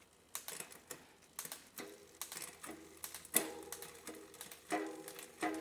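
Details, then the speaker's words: Mountain bike drivetrain on the stand, running through the gears after poor meshing was found: soft chain whirr with light irregular ticks, no grinding or skipping; still pretty quiet, rider reports no skipping under load; cable tension to be adjusted. "So it's still pretty quiet."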